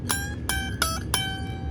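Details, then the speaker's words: Squier/Fender Jaguar with a Mustang bridge, before the neck shim and bridge raise: the finger-picked high E gives a bright metallic ping on each attack as it jumps out of its saddle groove. String slipping out of the bridge saddle. "you hear that pinging sound and if you look at it again it is not laying in the groove we gotta fix that"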